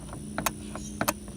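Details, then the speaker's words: Craftsman ZTL 80 zero-turn mower, engine off: crisp light paired clicks as the seat pressure switch is pressed by thumb and released; seat safety switch clicking, which kills the engine when rider stands up. "so that is me pushing my thumb in the middle of the seat if you stand up off the seat of this thing when it's running that pressure switch um opens and it will kill the engine"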